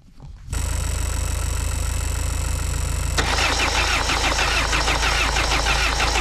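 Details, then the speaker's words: Renault Mégane coupé 1.9 DTI diesel after camshaft repair, weak battery: steady starter churn about three beats a second with firm compression pulses, never catches; cranks but does not start, cause unconfirmed. "Mais bon euh bon, apparemment au démarreur, il y a ça secoue, il y a de la compression. Du coup euh bah je mets en route parce que là ça manque de jus."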